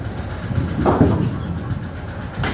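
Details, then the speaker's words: Bowling lane pinsetter turned in reverse: heavy ka-chunk about every 1.5 seconds from worn 4-to-1 bronze reduction gears binding; moving deck cam follower fine; needs 4-to-1 assembly replaced. "Ka-chunk. Ka-chunk. Ka-chunk. They're 4-to-1 bronze gears."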